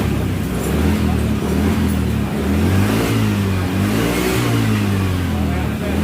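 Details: Honda Vario 110 scooter after replacing with original electrical part, starting without battery: smooth tone rising and falling cleanly with throttle, no rattle or misfire; charging checked normal; normal revving.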